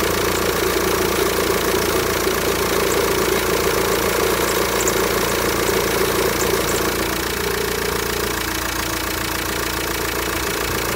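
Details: VW Transporter T5 1.9 TDI (2005) diesel idling with a steady mid-pitched groaning hum over the clatter from a failing power steering pump with a damaged mechanism and no leak; fix is a new pump and green original hydraulic fluid.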